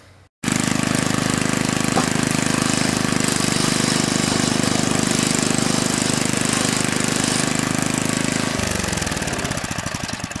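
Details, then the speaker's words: Snow blower after rubber shims added to second-stage impeller paddles, test start: strong even engine chatter holding steady several seconds then easing off as it winds down; impeller spinning nicely, running normally. "I'm going to start it up again, see if anything else shakes itself to death."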